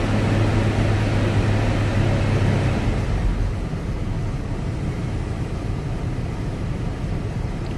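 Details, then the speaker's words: Chevy S-10 donor engine warmed to operating temperature after an oil change to diesel oil, oil pressure about 30 after 45: revved for a few seconds, then settles to a smooth even idle with no misses or knocks, normal revving. "It's up to operating temperature now. And where I had very low oil pressure before, I guess there's 30."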